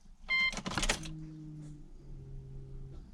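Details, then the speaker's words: 2004 Pontiac GTO rear-mount turbo build, newly installed E85 fuel pump, key on: click and chime, then low steady hum about two seconds that stops; fuel pump priming normally. "key time moment of truth ready i heard a priming let me turn it off off"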